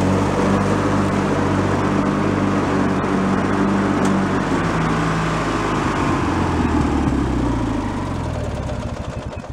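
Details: Free, previously derelict Craftsman riding mower, function check after electrical and safety-switch repairs with spindles checked not bent: even engine drone that eases off at the end, no grinding or bearing whine. Deck fairly quiet, bearings not noisy, runs normally.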